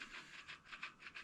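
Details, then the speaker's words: Front wheel hub bearing on a 1975 Schwinn Suburban 5-speed, spun by hand during teardown: faint gritty rasp pulsing about six times a second; bearing is bone dry with no grease, to be fitted with new bearings and grease. "No, this is all dry. That's dry as a bone."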